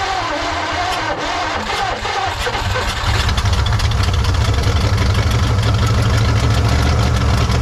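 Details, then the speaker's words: 1953 Studebaker Starliner, off road possibly 45 years, old plugs, wires and points, radiator filled with water: cranks, catches around three seconds, settles to fairly even low idle before dying; still needs plugs, wires, points. "It's alive. It's not too bad. Don't think it's running pretty even."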